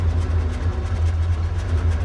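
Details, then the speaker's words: 1992 Ford F-150 V8: deep exhaust rumble with uneven pulsing and wavering beat, tach and voltmeter jumping; rough idle that later became a no-start, vacuum leaks smoke-tested and fuel regulator replaced, cause still unknown, spark suspected. "in the last video i showed you that it had a rough idle see the uh the tactics goes up jumps all over the place"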